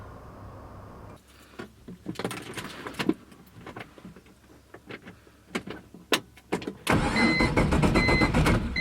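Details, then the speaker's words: BMW E46 with LS3 V8 swap, first crank test with no spark or fuel, in neutral: starter turns the engine over in uneven bursts then steadily, no firing, as expected; engine moves a lot on its mounts. "so it should at least try to crank it obviously won't start there's no spark there's no fuel but it should crank"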